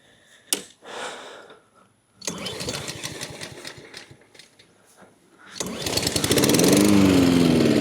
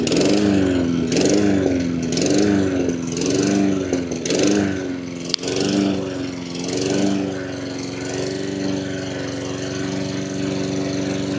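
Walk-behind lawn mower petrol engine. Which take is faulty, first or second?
first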